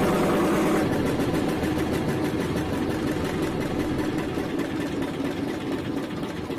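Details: Eicher single-cylinder diesel that would not start: worn engine not building compression, started only after oil was poured into the air intake onto the piston; steady, slightly rough thumping of about 3.5 beats a second; low compression.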